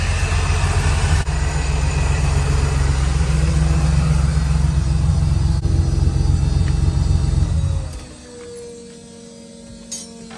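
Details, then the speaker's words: Supercharged Toyota Hilux LN106, first run after a rollover: a strong, steady low idle with an even rumble and no misses until it is shut off. Normal idle. "Not only is it in there, but it runs in there. It definitely runs in there, and I'll prove it. How good does that sound?"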